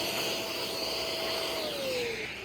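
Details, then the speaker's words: Curb-found 2013 Shark Rotator NV501 vacuum with original, somewhat clogged filters refitted: steady motor hum with high whine sagging slightly under suction load, no rattles; motor runs healthy, suction good. "I am surprised how well that sounds. I thought this thing was going to blow up, but you know, it's a decent machine for parts"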